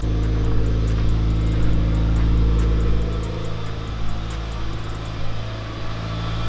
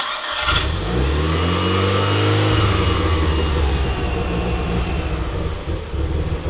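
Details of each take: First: Mitsubishi Evo IX turbo petrol engine on first start after a new transmission and clutch, still cold so idling slightly high, AFRs on target: smooth, even idle with no knocking, ticking or odd noises. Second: Mitsubishi Lancer Evo IX petrol engine starting and settling into a slightly uneven idle with a thin high whistle: intake manifold vacuum leak at the gasket from a loose bolt, confirmed when brake cleaner raised rpm.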